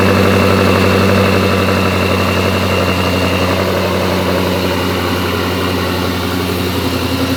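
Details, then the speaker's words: Twin-turbo C8 Corvette V8, first start on newly built engine, idling; even deep idle, valve train quiet with no ticking or clatter; blow-off valves seen leaking oil at idle. "If it doesn't have oil pressure, we're gonna hear a bunch of freaking noise out of the valve train. And the valve train sounds really quiet."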